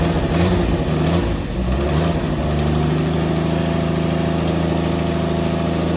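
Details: 1964 Dodge Dart station wagon, 170 slant six with push-button automatic, revived after 25+ years parked: even, steady idle, smooth low drone, no misses, knocks or surging; running really good, normal.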